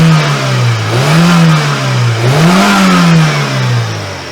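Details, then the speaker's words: Geely CK2 1.5 L on petrol, hard-starting with a cam sensor error after valve adjustment, a new sensor did not help: quick throttle blips sound rough and stumbling, cylinder one drops out, cam timing two teeth late. "як бачимо якщо більш плавно дають то всі циліндри працюють а так у нас як завжди все одно випадає перший"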